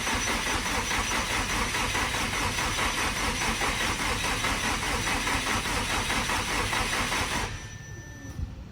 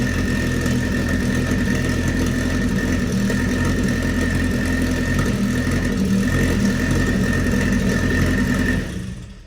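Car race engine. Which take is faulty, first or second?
first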